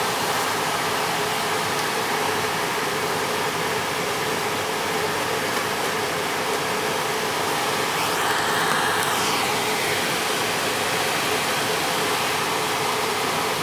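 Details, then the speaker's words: Attic gas furnace blower running after ignition: even steady air rush, no rattles, scrapes or squeals, so normal blower operation. The filter looked fine and the thermostat was confirmed bad and to be replaced. "make sure the fan kicks on and everything goes"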